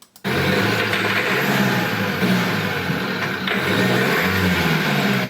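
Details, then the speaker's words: Dacia 1.5 dCi diesel van misfuelled with petrol: running rough with a heavy, uneven rod-knock-like knock, some smoke and almost no power; a stuck-open continuously injecting injector can cause the same knock. "tu as entendu ce bruit, ce bruit est caractéristique du cognement de bielle, et il y a deux de ces choses qui peuvent le provoquer, un, un injecteur qui est ouvert, injecte continuellement et produit ce cognement des bielles"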